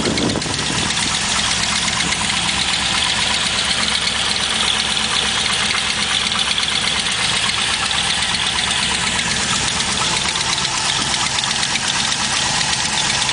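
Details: Chevrolet LS1 V8 at steady idle: a quick, light, slightly uneven tick of a couple per second. A collapsed lifter was suspected, but it turned out to be an exhaust leak.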